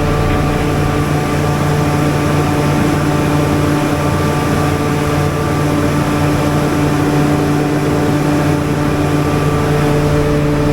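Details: Generator on a service call, run with its cover open while output is measured (283 V line to line, about 278–279 V line to neutral): a steady, even engine drone with a constant hum and no knocks, misses or surging. Normal generator run.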